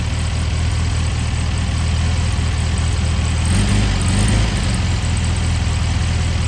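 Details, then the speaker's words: 1973 VW Beetle, air-cooled, just fitted with a new clean carburetor and an oil breather filter. An uneven, lumpy idle with a loping beat that stumbles midway; the carb mixture still needs fine adjustment. "got that in and then we wind up starting up with a new carb on here with a clean carb and seems to be running all right I got to do some fine adjustments here and kind of go from there"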